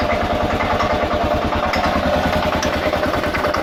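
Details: 2000 Kawasaki KLR650, about 45,000 miles, warm after 15–30 minutes running: uneven clacking and rattling over loping single-cylinder idle; clutch plates replaced about 1,000 miles ago, doohickey reportedly done; cause unknown.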